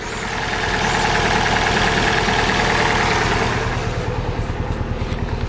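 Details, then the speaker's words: 2004 Vauxhall Astra H (Mk5), hard starting with engine light on and coolant loss: rough, lumpy, juddering idle with a rhythmic exhaust chuff about three beats a second; misfire from a failed head gasket. "just going to turn it off so as you can probably hear she doesn't sound healthy"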